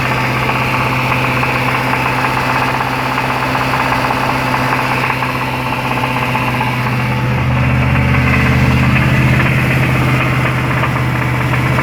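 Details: Jaguar XFR 5.0L V8 running at about 2100 rpm with a hard, regular knock that gets heavier under load. Rod knock confirmed on teardown: a worn big-end bearing caused by oil starvation after a service.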